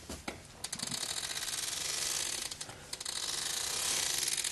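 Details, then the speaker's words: 2014 Ford Fusion after an attempted transmission case bushing replacement, wheel turned forward by hand with axle droop: a dry uneven clicking, silent in reverse. It seems to come from inside the transmission; a CV joint is suspected, unconfirmed. "transaxle but what I noticed is I heard this clicking sound as I turned the wheel forward going in reverse I heard nothing"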